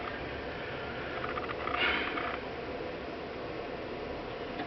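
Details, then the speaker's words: Epson EH-TW9000W projector after repair of power-up fault (previously gearbox clicked and powered down repeatedly): normal power-up, steady fan hiss then quick soft whirring ticks as lamp shutter cycles, smooth startup. "there we go the shutters running you'll hear the shutters that's the shutter uh that's in in front of the the lamp assembly"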